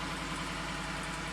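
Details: Wrecked 2015 Ford F-150 4WD with 60,000 miles and rear-end damage, started after a battery charge: steady, even idle with a smooth low hum, no ticks, knocks or rattles; a healthy engine.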